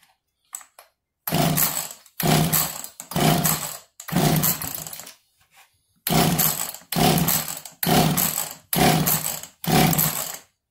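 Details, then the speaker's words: Echo CS330T chainsaw that sat an unknown time, flooded with gas, throttle held open, carb reportedly new, strong compression: repeated short coughs about once a second, each catching briefly and dying, fires but won't keep running. "Nope, nothing yet. There we go. Did you hear it? Okay, that's all I need."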